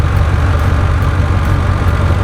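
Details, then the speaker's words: 2005 Ford F-150 idling after replacing two ignition coils to cure a misfire; deep, steady V8 rumble with no stumble or skipped beats, feels much smoother, normal idle. "that does feel a lot smoother all I did was replace two of them"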